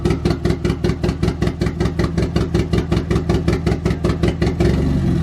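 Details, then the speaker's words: Nissan 240SX KA-T on its first start after the engine drop, on a standalone ECU: loping, uneven chuffing at about two or three beats a second with dropped pulses. Misfire from missing spark in some cylinders. "this took a little bit of time as I definitely ran into a bunch of little hiccups with misfiring"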